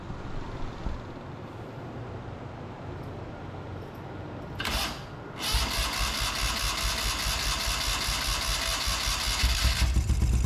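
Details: 650cc buggy cold start on a jump box with old fuel topped up and choke on: quiet fuel pump hum, then a quick catch at five seconds and a steady fast buzzy idle on choke; starts and runs fine.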